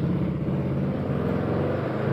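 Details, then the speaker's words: Honda Tiger/Megapro/GL single-cylinder motorcycle with a rough, rapid tek-tek ticking from the cylinder head, worse at high rpm, though valve clearance, camshaft and rocker arms are still good. "dia halus harusnya tapi suaranya masih kasar bunyi tek tek tek tek tek tek apalagi digeber RPM tinggi"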